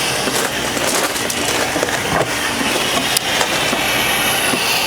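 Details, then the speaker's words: Draining a CV340 four-cartridge pool filter through the bottom ball valve with top vent open: steady hissing rush of water and air with slight gurgle as it empties, sucking more air; normal drain. "So we're just going to turn that and open it and let it drain out. You can hear how it's sucking more air as it cleans itself out."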